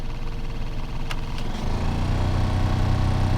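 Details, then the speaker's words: 2010 Toyota Corolla LE, blower previously replaced, rodent wiring damage suspected: steady low droning hum with heavy throbbing vibration as the fan runs, shaking the whole car and seat, with a rattle in the door; out-of-balance blower wheel fouled with debris. "The blower is moving definitely, but it's kind of shaking the whole car. My seat, it's completely vibrating."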